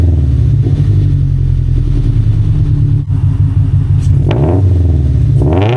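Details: Subaru BRZ just fitted with unequal-length header and stage 2 OpenFlash tune, after retightening header and moving gasket to fix a leak: deep burbling boxer rumble, quick blips rising and falling cleanly, no ticking or puffing; exhaust sealed, normal revving.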